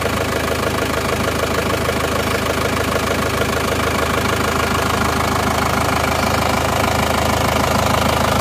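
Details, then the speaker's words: Isuzu Panther diesel (Jogja car) after engine overhaul for severe blow-by from running out of coolant, not yet re-tuned, just started cold: even, rhythmic clatter at steady idle with no misses or knocks; smooth, back to normal, thin exhaust smoke. "Bismillah ini Alhamdulillah suaranya bisa kembali normal ya halus dan"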